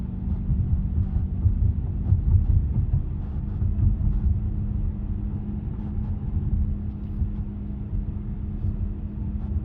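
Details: Chevy Cruze driving at speed: steady low hum and rumble, the drone of a worn wheel hub bearing.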